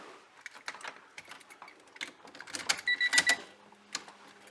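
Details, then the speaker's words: 1995 Honda Civic EJ1, non-start issue, after new ignition switch fitted: a few light clicks with key held, no cranking, though power reaches everything else; main relay audible. Clicks but won't crank, cause unknown. "nothing and getting power to everything else I have no idea this is really pissing me off right now"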